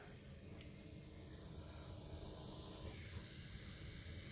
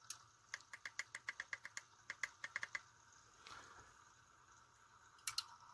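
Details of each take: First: Small replacement gear motor for a camera arm, replacing a jerky stepper, run at 5 volts on the bench: steady buzzing whir with a rough, rattly low growl; slower and a little noisy, and quieter when held off the workbench. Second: Small replacement motor in a 3D-printed camera arm, run at reduced voltage of about 3.5 V: gear whirring with a light, even ticking about six per second, noticeably slower but steady. Not enough at about 2.75 V. Normal running.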